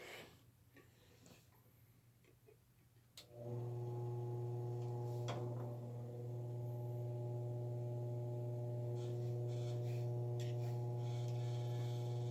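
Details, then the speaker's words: Sears-Kenmore box fan after screws, found over-tightened, were backed off one turn, running on low: low steady motor hum with a light, regular tick about four times a second once it spins up; the noise is still there, cause unknown. "The noise is still there."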